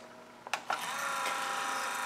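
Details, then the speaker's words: Rebuilt classic-car windshield wiper motor on the bench at 12 V, about 3 amps, with the park wire cut so it has no park function. A couple of clicks, then a smooth, steady whir with no grinding or stalling; runs normally. "It will work without park. So right now I've got it set at about 3 amps and 12 volts."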